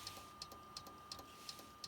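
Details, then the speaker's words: Compaq desktop PC giving blue or black screens: sharp, light clicks about three per second over a faint steady whine; source inside the case unclear, possibly the hard drive. "got a clicking noise"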